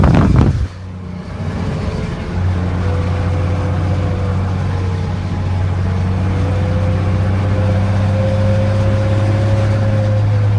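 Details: Second-gen 12-valve Cummins diesel with a blown turbocharger bearing: a deep diesel drone with a wavering mid-pitched howl on top, heard only when the engine is under load in gear or at higher RPM.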